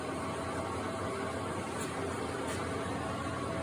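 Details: Leblonde Makino lathe, first run after 5 years, newly fed by a phase converter: carriage power feed engaged, quiet even mechanical hum and whir, no knocks or grinding, normal lathe power feed running.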